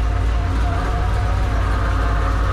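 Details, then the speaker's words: Supercharged Camaro V8 with big cam, just fitted with MSD spark plug wires: deep choppy loping idle, uneven but steady; header temperatures checked with a laser, all cylinders firing, no misfire. "obviously if there's a misfire you typically will hear it but because I have a big cam in my blower sounds like poo literally sounds like it's eating itself"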